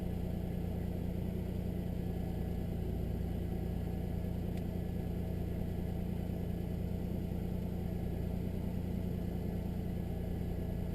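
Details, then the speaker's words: 1999 Nissan Maxima right after replacing bank 1 and 2 ignition coil packs, cold start: smooth steady idle settling down, no stumbles or misses; healthy cold-start idle. "well i'd be honest i don't feel any missing right now starting to come down from cold"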